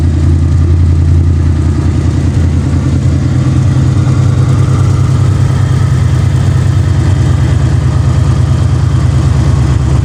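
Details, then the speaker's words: Ford Mustang Fox body V8 project car, first successful start in neutral after fitting a new Motorcraft starter solenoid and a trickle-charged battery: deep, steady idle rumble with an even beat and no misses, knocks or ticks, a normal idle. "That's what I call a freaking success right there."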